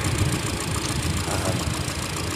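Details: 2013 Hyundai Elantra 2.0L, cylinder 4 misfire, intermittent shake and stumble at idle worse with AC on: low, uneven lumpy idle; plugs and coils 12,000 miles with good spark, carbon buildup on valves suspected.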